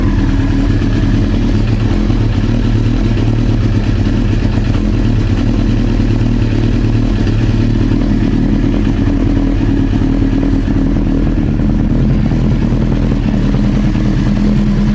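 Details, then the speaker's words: Old Honda CBR900 Fireblade after the tank and airbox were refitted, checking for the customer's reported backfiring: steady, even engine note with no pops, bangs or misfires; suspected user error with the fuel reserve tap. "Put the airbox on as well. Looking alright, really."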